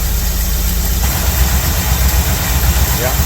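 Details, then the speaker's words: 1982 Chevy K10 pickup, sat in a tent shelter for nearly 5 years, first start on a jump pack: lumpy, uneven idle with irregular low thumps and dropped beats, several cylinders misfiring. "Really? No way. Got a misfire, that's for sure. Good idling."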